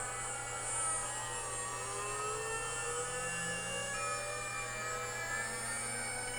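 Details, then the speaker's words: DIY CNC machine, controller unplugged, heard through a tone-tracing wand: faint thin whistles climb slowly in pitch over hiss as the spindle spins up, electromagnetic interference radiating from the frame and tracking spindle speed, falling as it spins down; suspected cause of jerky X and Z axes. "when i turn on the spindle just the electromagnetic interference as the spindle is speeding up here the frequency very slowly"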